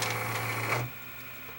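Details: Panasonic PV-S7670 S-VHS VCR that will not rewind, only reverses slowly and then powers off: a short, rough whir with a low hum that dies away; dry grinding suspected from the capstan motor bearing, unconfirmed.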